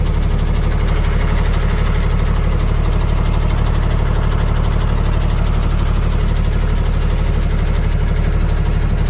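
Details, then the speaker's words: Ford Cargo 0813 diesel library bus motorhome being recommissioned: heavy diesel idle with steady deep chuff, a couple of beats a second, louder and rawer than normal; broken exhaust pipe leaking somewhere. "I don't know where it's broken, but it's broken somewhere. I can hear it."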